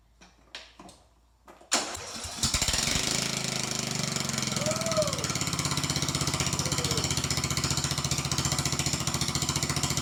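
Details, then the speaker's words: Troy Bilt riding mower, parked since 2014 (about five years), after carburetor cleanup from old ethanol fuel, running without muffler: cranks, fires and settles into loud, fast, steady open-exhaust patter; normal running. "Let's go ahead and key it on and spin it over. Hold your ears, it's gonna be loud."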